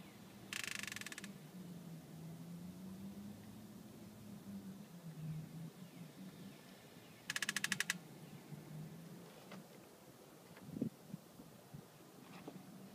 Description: I just got these rims put on Monday and this noise happens on all of my wheels. The noise only happens on a certain point in the wheels rotation.